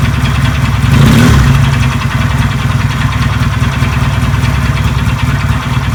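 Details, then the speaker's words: Benelli 250 motorcycle engine, owner complains it is noisy: uneven knocking, roughly four per second, over the running engine, louder on a throttle blip, like parts colliding inside; a worn connecting rod is knocking. "Oh bisa mengidentifikasi seperti ada barang di dalam enjen itu berbenturan ya"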